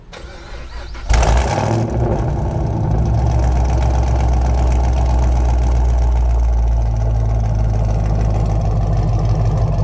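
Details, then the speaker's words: 2011 Camaro SS, 6.2 LS3 V8, 6-speed, with intake, long-tube headers, muffler delete and dyno tune, recorded on a GoPro. Starter whirr, then a quick catch into a deep, loud, steady open-pipe burble; no exhaust leaks, running healthy. "all right so this is what the engine sounds like when it's on"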